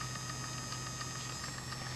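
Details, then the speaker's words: 3D-printed robot winch gearbox (print 3) on a 24-volt motor, after an earlier slight growl under load. Quiet, steady hum with light, regular gear ticking and no grinding; it sounds good and the repair seems a success. "it sounds good yeah it seems like a success to me this seems like a good repair"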